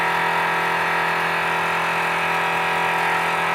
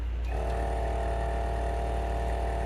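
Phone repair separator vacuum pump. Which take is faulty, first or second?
first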